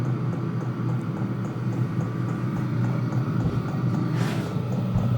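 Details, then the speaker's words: Vevor diesel air heater warming up in DC mode on a Noco NLP20 lithium battery, with its 5 L diesel tank half full: a steady low hum with soft, even fuel pump ticking. Quiet, normal running. "So, you can hear it ticking, but it's not loud. I thought that the sound would be really loud, but it's not loud at all."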